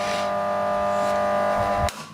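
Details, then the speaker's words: New high-current battery charger/jump starter charging a battery, current dropping from about 20 A toward 10 A; steady hum with thin high buzz, even, then cuts off; normal charging. "it was about 20 amps it's gone down now it's charging the battery"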